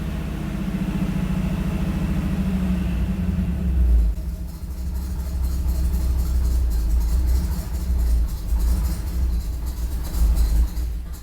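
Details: Freshly built small-block V8 with Comp Cams XE268 in an '85 C10, after about 25 minutes of cam break-in around 2,500 rpm, water 180°F, oil pressure good: revs walked down to a deep, choppy, lopey idle; normal cammed idle.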